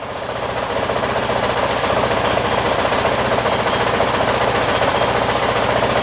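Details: 2023 Honda CRF450X after San Diego Powerhouse thermostat delete kit and emissions delete, after 5 minutes idling: steady, even single-cylinder idle, quick regular thump, no knocks, misses or rattles, sounds about the same as before; normal healthy idle.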